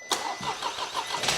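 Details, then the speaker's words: Crash-damaged 2023 VW Taigo being rebuilt, first start after fitting its 1.0 L turbo three-cylinder engine: the starter whirs briefly, then the engine catches at once and settles into a slightly shaky but even idle. Healthy first start. "they sound like they're just about to fall out they do don't they oh that's good any on start up that's Mega mate that is good"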